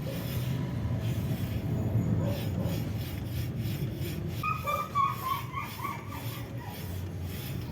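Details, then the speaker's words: Toyota Avanza, wheel removed, rotor turned by hand: gritty rasping scrape rising and falling with rotation, the same scraping heard while driving, from worn, dirty brake pads on a rusty disc; caliper (two 14 mm bolts) to be removed. "Meron diyang kumakaskas na habang umaandar kayo sumasabay din yung ingay niya"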